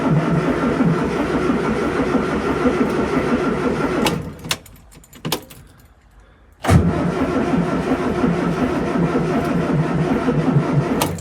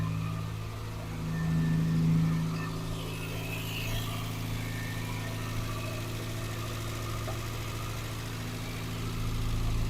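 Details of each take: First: Morris Minor cranked out of gear after 12 months in storage, fuel pump ticking first: sluggish uneven cranking at about three turns a second that pauses and drags, never firing; dead battery. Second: Morris Minor four-cylinder idling after 12 months in storage: steady even low hum with a brief blip of revs early, then settles smoothly; normal idle.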